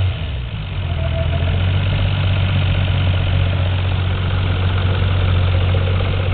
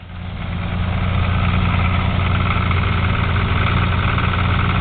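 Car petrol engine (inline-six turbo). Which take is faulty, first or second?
second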